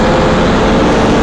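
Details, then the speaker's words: 1997 Safari Trek Pathmaker 2480 motorhome, 454 V8 petrol, at highway speed: smooth even low drone with no ticking or puffing; previous exhaust leak now repaired, engine sounds normal. "you can hear, the engine doesn't have any exhaust leak anymore. It did when we drove it from Charleston to Greenville, South Carolina. Now it's much quieter, normal V8 454."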